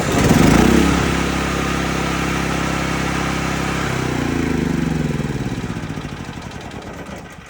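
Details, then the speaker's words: Cat RP8000E generator, about 5 years old, electric start, after draining the carburetor and flushing with fresh non-ethanol gas; cranks, runs evenly about four seconds, then dies; CO sensor shutdown circuit suspected, oil level sensor also possible. "I cranked this thing up and it started for about, uh, five to 10 seconds and it would just go out. It would just cut off."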